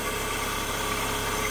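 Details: Fiat Fire 1.0 (Uno 2010) idling: constant dry whirring hiss at engine front from worn water pump and alternator bearings; alternator bearings previously replaced, noise persisted with alternator belt removed, pump bad, alternator still noisy.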